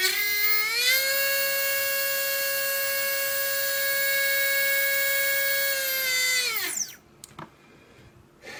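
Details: Readytosky 1804 quadcopter motor on a vibration test after calibration: a thin high whine steps up, holds steady with a rough edge, then winds down. Bad bearing chattering, heavy vibration; magnets reportedly come loose from vibration.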